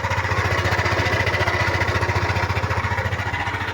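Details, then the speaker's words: Yamaha NMAX at 79,613 km, cold idle before repair: quick, uneven pulsing beat with gritty grinding rasp like gravel inside, said to worsen once warm; owner suspects worn crankshaft side or center bearing. "Ganyan ang tunog niya pag malamig, pero pag uminit na yan, gumagrabe at lumalala yung tunog niyan."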